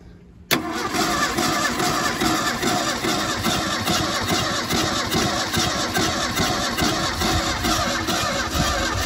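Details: 1977 Ford Mustang II sitting 25 years, new battery and new solenoid fitted: starter spins the engine in a fast steady churn for several seconds without firing; no start, possibly flooded, traced to an unseated wire.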